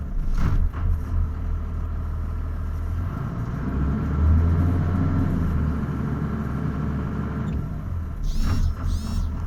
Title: Cummins 12v rough idle